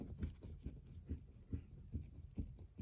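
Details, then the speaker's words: VAZ steering rack, knocking when turning the wheel and stiff steering; dull low knocks about twice a second as the right tie rod is rocked, loose shaft inside the rack; rack repair kit likely. "этот стук У нас есть внутри рейки вероятнее всего что мы будем ставить ремкомплект"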